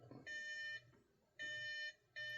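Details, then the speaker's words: Demo Safe House 49-485 alarm panel keypad: pressing the arm buttons gives three short, evenly pitched high beeps about a second apart, refusing to arm the system because no code was entered. "push these buttons here. You hear little beeps cuz it's not it's not going to allow you to arm the system without actually entering your code."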